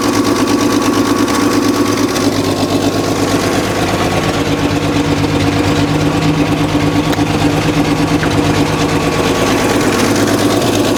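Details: 1965 Chevrolet C10, 292 inline six, first start after years abandoned, makeshift fuel tank and starting fluid; steady idle with quick uneven puffing tick about three per second; engine good, exhaust leak at the exhaust manifold.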